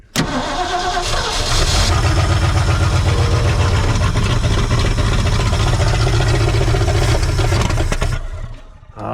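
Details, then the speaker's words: 1968 Ford truck being revived: steady starter cranking about four turns a second for several seconds with no firing; fuel is not yet reaching the engine, so gas is poured in. Crank, no start from fuel starvation. "look at that forward that's all it was she just ain't got gas up to her yet"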